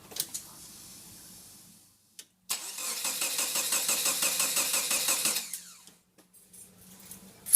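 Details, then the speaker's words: Subaru EA82T turbo on Megasquirt MS3x, cranked with the coil and injector relay fuses pulled as a test: steady starter cranking at about three even beats a second, never fires; crank, no start, with no fuel or spark, as intended. "What we're going to do is just pull the fuses out of those relays to isolate the circuits of the coil and the injectors."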